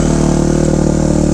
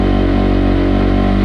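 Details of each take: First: 2005 Kawasaki KX250F single-cylinder four-stroke after carb retune (needle dropped, main jet raised, richer top end), started on choke with one kick, warming up: quick, even firing beat, steady pitch, no misses or rattles; healthy idle. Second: 2005 Kawasaki KX250F after rebuild with journals sanded, on choke: loud single-cylinder four-stroke idle at about four beats a second, slightly uneven; dies when choke is off, cause unclear.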